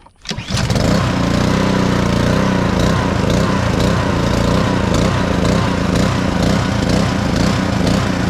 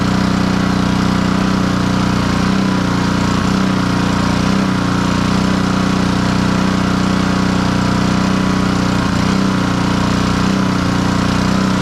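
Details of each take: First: Black Max pressure washer with Honda GCV160 engine, after crank-no-start repair, started with choke: catches after a brief crank and runs loud but unevenly, speed hunting slightly; small throttle issue needing adjustment. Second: Black Max pressure washer with Honda GCV160 engine after repair of a crank-no-start and throttle adjustment, running with hose connected: loud steady single-cylinder drone at constant speed, no misses or surging; fully operational.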